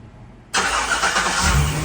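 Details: Chevy Express van just after starter replacement, having started iffy before: fires up promptly and settles into a steady idle with no grinding or dragging; the new starter works.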